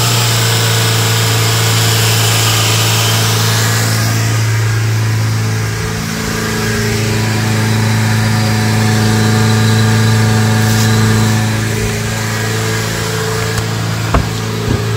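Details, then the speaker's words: 2008 Chevrolet Spark after the EGR valve was cleaned with throttle body cleaner: it idles normally for 4–5 seconds, then with no throttle holds a fast steady drone, estimated at 3000+ rpm. An airy hiss near the intake manifold suggests a suspected vacuum leak. "Intake manifold के पास से hissing नॉज आती है सुनके ऐसा लगता है जैसे हवा लीक हो रही हो"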